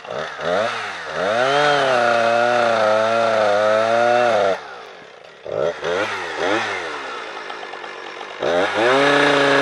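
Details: Husqvarna 455 Rancher two-stroke chainsaw on Husqvarna premix after owner's 50:1 mix. Screams unloaded, then pitch sags and labours each cut, never holding revs; new spark plug and air filter removal made no difference under load.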